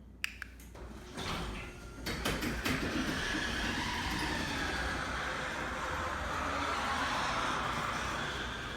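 A garage door runs with a loud, steady rattling rumble and faint squeals, typical of dry, unlubricated hinges and rollers.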